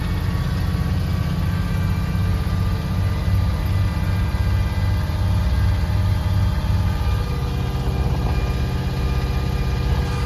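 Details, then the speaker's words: 1986 Jeep Grand Wagoneer with AMC 360 V8, cold start: steady whine that swells briefly from the engine bay, power steering pump low on fluid, louder when turning the wheel. "we're gonna go on ahead and start up the Jeep this is a cold start and we're gonna listen to that whining sound that is coming from the engine bay which is ultimately the power steering"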